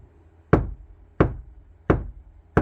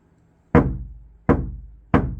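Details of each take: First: Kia Sportage NQ5 facelift door tapped from the inside: four dull knocks give a short, soft low thud with less low-frequency energy than the outside skin and no ringing; well-damped door panel. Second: Kia Sportage NQ5 facelift door tapped on the outside, compared with the wood-damped side: three loud, hollow booms that ring and fade over half a second; panel resonates, louder and unfavourable for music.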